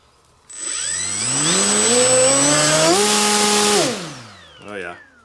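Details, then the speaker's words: Galloping Ghost RC with upgraded PRO brushless motor, bench test after fixing cowl rub: clean whine climbing in steps with throttle, holding steady, winding down smoothly, no scraping or rubbing; normal brushless motor run. "oh boy that thing has pull i can tell already just a tiny bit of throttle that this thing's going to be nuts"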